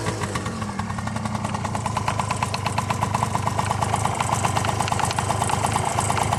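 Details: Honda Tact AF24 scooter idling cold: quick, fairly even tapping knock over the engine note; knock began together with heavy smoking; cause unknown.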